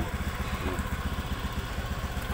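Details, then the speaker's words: Motorcycle after repairing small pin in starter switch, no-start fixed, wiring, starter and relay fine: even steady low putter at idle with regular firing pulses, no misses or knocks; idling normally. "Start natin siya. Ayan. Nag-start na siya. Ang issue lang ay yung switch lang."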